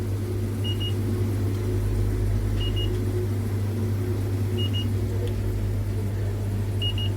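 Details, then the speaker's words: Display-case refrigerator after its burned-out motor was replaced with a new R134a compressor, running after vacuum and slow R134a charging; steady low mains hum with faint double beeps nearby, cooling well; normal compressor running. "Sovichlari zo'r, hamma zo'r ishlayapti."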